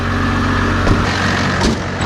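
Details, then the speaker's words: 12-valve Cummins diesel truck idling at about 980 rpm, just under a thousand, in cooling fall weather after the idle was raised: steady, even diesel clatter with no misses or knocks; a healthy idle. "it's not quite a thousand but it's my minutes basically it's like a nine hundred and you know eighty right now is what it's idling at"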